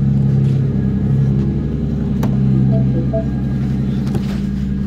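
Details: 2012 Mini Cooper with a crank-no-start complaint, now starting after power was restored. The engine catches and settles into a steady, even rumble with no stumbling. It starts and runs normally.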